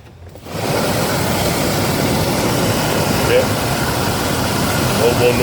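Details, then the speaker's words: Chevy Tahoe 5.7 blower motor after repair of its noisy, funny-sounding operation: it starts into a steady, even rush of air with no squeal or rattle, with all speed settings working. "we turn this off okay no money no more noisy bluer motor I got that taken care of"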